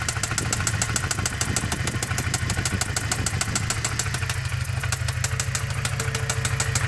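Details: Toyota 22RE engine idling with a sharp, even tick-knock about three per second, which appeared after the valve cover was reinstalled; the origin is unknown.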